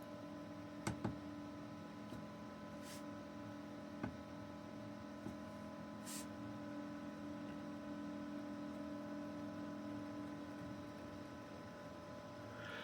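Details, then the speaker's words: Brinkley RV under-bed small fan (a PC-style "screamer") screwed directly to the wood frame: a steady, layered droning hum whose harmonics change when the wood is touched, as vibration carries through the mounting. "I can hear the harmonics change a little bit. I don't know if it's coming across in the video. So, there's no there's no way to isolate the fan from the the frame."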